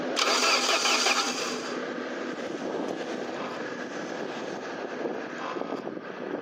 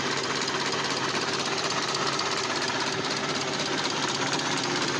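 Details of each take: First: SAAB 9000 abandoned for five years, with a new battery, cranked with the direct ignition cassette disconnected: steady starter churning at about three pulses a second and no firing, cranking without starting. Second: SAAB 9000 turbo, abandoned 5 years, new battery and spark plugs, first start: lumpy uneven idle pulsing about twice a second, engine shaking badly; owner suspects misfiring, cause unclear; rough running.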